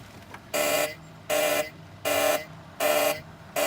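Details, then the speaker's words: Volvo 240 project car on a jumped battery, before first start attempt: five steady mid-pitched beeps about a third of a second each, repeating every three-quarters of a second; seatbelt warning chime. "Okay. It's telling me to fasten my seatbelt."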